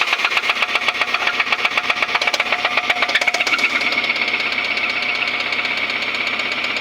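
Hard, sharp metallic knocking, about four blows a second, rattling over the idle: a severe internal engine knock, cause not yet pinned down.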